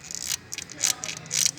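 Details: Timing belt still within its service interval, about 20,000 km on it, very loud after running nearly 10 minutes: repeated high-pitched rubbing hiss pulsing about twice a second, thought to be belt rubber rubbing the metal pulleys. Suspected, not confirmed.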